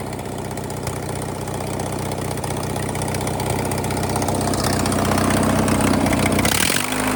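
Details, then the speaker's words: Tractor first started in a couple of years: loud open-pipe idle with slightly uneven beat around three per second, rising then dropping; rough running, owner suspects carb needs cleaning and spark plugs checking. "All right. Doesn't sound too bad. It's got a few cobwebs, it sounds like. Probably a little carb cleaning and check the spark plugs and probably all I got to do."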